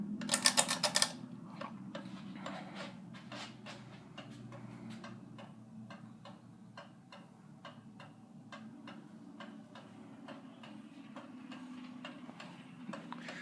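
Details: 44-inch Monte Carlo Designer Supreme II ceiling fan with incandescent lights, running in reverse: light regular ticking about four times a second over a faint motor hum; fan ticks steadily, cause unknown.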